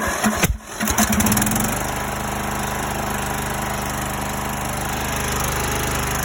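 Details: Greenfield E2000 ride-on mower, 17HP Briggs & Stratton Intek OHV, sat for years: cranks, brief stumble, then steady even low idle, no misses or knocks; runs nicely, no tune needed.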